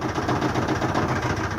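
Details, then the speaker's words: Kenmore HE2 front-load washer that won't spin: a fast, rough thumping rumble at spin-up as the inner drum slaps the outer tub. The spider arm on the back of the inner tub is broken. "what's wrong with this is the spanner the spanner on the back side of the inner tub is broken"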